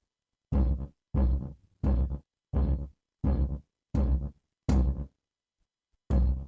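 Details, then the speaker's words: JMP valve amp on the bench after a full service, second mic against the speaker: each tap on the table comes back as a dull booming burst; microphonic valves, at least two need replacing. "even if I tap the table you'll hear there's a noise"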